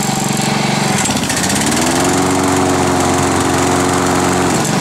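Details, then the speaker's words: Honda HRD 535 lawn mower, valves adjusted to 0.30: buzzing engine drone sags and turns harsher when the blades engage under load, unusual for this mower, which also smoked heavily; cause unclear. "et on l'entend quand on enclenche les lames on va entendre une sorte de de son qui fait comme ça"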